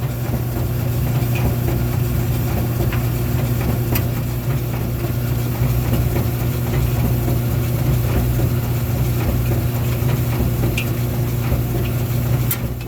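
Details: 1990s Speed Queen retired commercial gas dryer after failed gas igniter replaced: steady low hum from drum and blower, no scraping or thumps, burner lit; normal running after repair.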